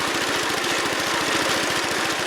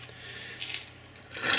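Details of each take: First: Wheel Horse Commando 800 tractor with sickle bar mower and 8-hp pull-start engine, after belt replacement, in transport position: steady, even, fast firing beat with no knocks or misses. Normal running. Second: Gritty, scraping rasp as the shaft of a Wheel Horse sickle bar mower is turned by hand with the bearing holder bracket removed: rough, dry, worn bearings needing lubrication or replacement, found during a belt replacement.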